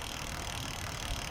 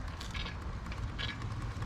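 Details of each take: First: Lectric XP e-bike lifted off the ground after brake adjustment, wheel spinning: light, even whir from the chain with no rubbing or scraping; normal chain running noise. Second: Lectric XP e-bike lifted off the ground and pedaled, before brake adjustment: a hiss-like scrape about every two-thirds of a second with each wheel turn over the motor hum; brake disc rubbing on the inside, fixed by adjusting the caliper Allen screws.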